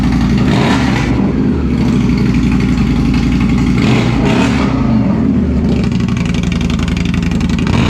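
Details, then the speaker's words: Indian Scout (about 1200cc V-twin, not the Scout 60) after installing a Two Brothers Racing Comp S 2-into-1 exhaust: deep, even idle with a steady low thump and no misses or rattles; healthy, sounds better than stock. "That sounds good though. Sounds a lot better. That sounds so good."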